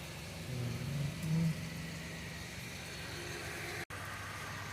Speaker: വണ്ടി ടാറ്റ വോൾട് ആണ് വണ്ടിക്ക് ഫസ്റ്റ് സെക്കൻഡും ഗിയർ സൗണ്ട് ആണ് ഈ ഇൻപുട്ട് ഷാഫ്റ്റിന്റെ ബെയറിങ് പോയിട്ടാണ് ഈ പ്രശ്നം ഉണ്ടായത്